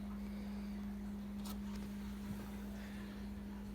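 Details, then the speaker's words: 2005 Hyundai Tucson with crank-no-start, after fuel pump replacement and a rewired pump relay: key to on brings a steady, even low hum without wavering. The pump primes normally with good power. "got in it turn the key to on you'll hear your fuel pump kick on with power"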